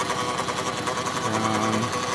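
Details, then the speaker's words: 2013 Dodge Grand Caravan, noise from atop the transmission/engine area: busy fast rattling whir with faint steady tone; owner first suspected the serpentine belt but rules it out; cause unknown. "but I'm having a problem with my 2013 Dodge Grand Caravan making this weird noise right on top of worthy and the transmission and engine me"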